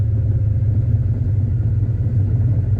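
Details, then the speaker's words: Formerly seized 327 V8 (two stuck cylinders freed, new rings) started in a car on one push, choke running, with good oil pressure: deep, even burble at idle, no ticking, knocking or stumbling; healthy. "All right, see how well we start. I'm gonna do one push. Not bad. There's the choke running."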